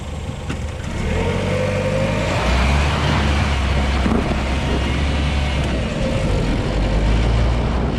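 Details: 2020 LADA Vesta SW Cross, 13,300 km, 1.8 engine, AMT gearbox, updated SAAZ front struts on broken dirt road with deep bumps: steady road rumble and tyre roar, no sharp knocks or clunks; front suspension normal.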